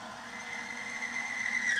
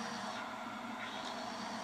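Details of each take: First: Timken bearing friction test on a power steering fluid, bare start-up condition: a thin, high squeal around 2 kHz swells for two seconds, then cuts off as the dry bearing scuffs and binds. The bearing smokes afterwards. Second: Timken bearing friction test rig, fresh test bearing lubricated with SynMax racing power steering fluid under applied load: steady even whirring hum, no knocking or grinding, getting quieter as additives work in; normal bearing running noise.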